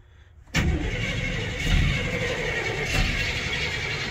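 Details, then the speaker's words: Crew cab: starter whirs, engine catches in uneven sputtering bursts and smokes but won't idle; owner suspects throttle body fouled and carboned with ethanol; cranks and sputters, won't keep running. "oh it's really close it's trying to run just doesn't want to run on its own yet I'm sure it's all fowled up and carboned with ethanol and garbage inside the that throttle bunnie"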